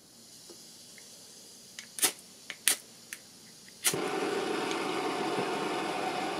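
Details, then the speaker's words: OEX XT-2 micro gas stove lit with igniter clicks, valve twisted open: steady even hiss of gas with no sputter or flutter; normal gas flow. "Just let you listen to the noise of the to the gas coming out and how easy it is to light."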